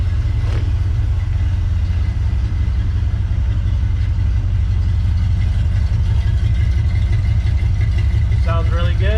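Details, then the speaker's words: 1979 Ford F150 Lariat with a Crown Vic swap and a stock factory 302 V8, hot start; deep steady burble at idle, even and smooth with no knocks or misses; healthy. "just a factory 302 nothing super special about it but it definitely sounds fantastic if you ask me"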